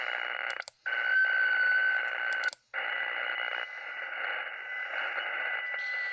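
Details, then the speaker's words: Radio receiver with a steady raspy buzzing hiss that cuts out briefly twice and returns, comes and goes on all bands and antennas, persists with the house breaker off; RF interference of unknown source, solar storm suspected. "So I just flipped the breaker on the house. We still got this noise. It comes and goes."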